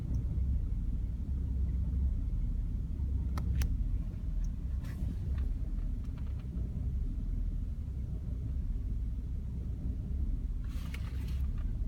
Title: Bmw e60 530i n53b30 rough idle, then MIL